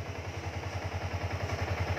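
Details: Yamaha Exciter 2019 idling after lean angle sensor signal simulated at about 500 mV: steady even low putter, regular firing pulses, no knocks or misses; runs smoothly.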